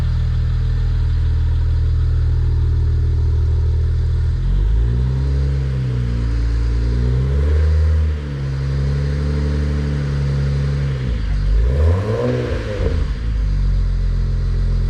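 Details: BMW 335xi N54 twin-turbo six after a Pure 600 turbo, VRSF inlet/outlet, catch can and full exhaust install, burning off residues after first start: a deep, steady idle, then smooth, clean pitch rises and falls when blipped, with no knocks. Normal.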